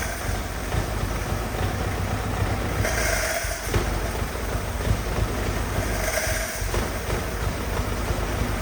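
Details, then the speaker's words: Old Willys Jeep that has been sitting, just revived, idling as Marvel Mystery Oil is added. The rumble surges and sags as it stumbles and tries to clear out; rough idle. The owner hopes to fix it without pulling the carb apart. "well she's kind of wanting to clear out a little bit there so we're going to keep on keeping on and seeing if we can't get this to out a little bit without having to pull the carb apart"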